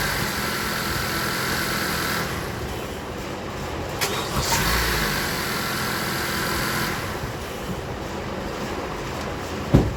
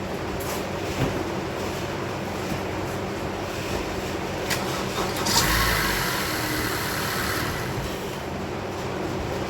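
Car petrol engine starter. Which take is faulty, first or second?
second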